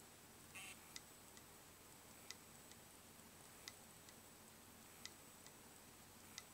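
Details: Dead Western Digital WD3200BEVT-75ZCT2 320GB 2.5-inch hard drive; quiet hum with sharp clicks repeating about every 1.4 seconds in a steady loop, click of death.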